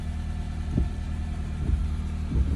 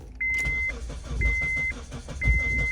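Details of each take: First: Honda CR-V (2002-06) after ignition lock cylinder replacement, started with old immobilizer key in place: quiet low idle, steady hum, a few soft handling thumps; running normally. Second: 2002-2006 Honda CR-V after ignition lock cylinder replacement, old immobilizer hooked up without the key near it: steady fast starter chatter for several seconds under a chime about once a second, never catching; immobilizer not reading the key.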